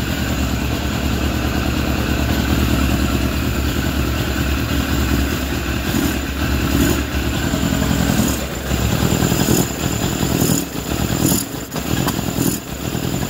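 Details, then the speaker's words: Suzuki GSF600 four-cylinder carbureted bike during starter-fluid vacuum leak test after tightening intake boots: uneven running, beat hunting and dipping with late stumbles; owner suspects carb 3 or 4 is leaking, then it seemed to self-seal. "it's almost like the leak just fixed itself I've not been able to give it fuel before I wasn't able to do that it's all weird this is all indicative of vacuum leak"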